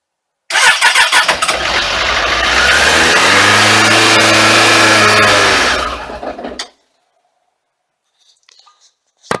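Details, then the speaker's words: Suzuki Katana motorcycle with a Ballistic battery, parked all winter in a cold shed, first spring start after priming: fast cranking catches and runs unevenly, stumbling before cutting out; fickle cold start after winter storage. "unfortunately it's just a little bit fickle being uh sitting here all winter long"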